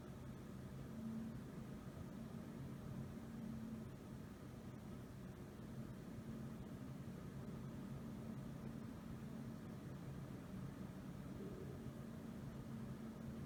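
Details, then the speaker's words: Intel i7-8700K overclocked to 5 GHz on all cores with AVX offset 3, Noctua NH-D15S cooler; fans ramping up as temperatures rise under load: steady soft airflow whoosh, faint low hum, no rattle or scrape; normal fan noise under load. "I'm getting a little higher temperatures now that I'm at 3.2 five zero and hopefully you can hear the fans ramp ramp up"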